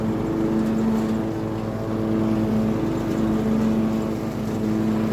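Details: Small acreage mower engine running smoothly again with a steady, even drone and low hum, no misses or knocks, after clearing a hydrolocked cylinder. Normal running.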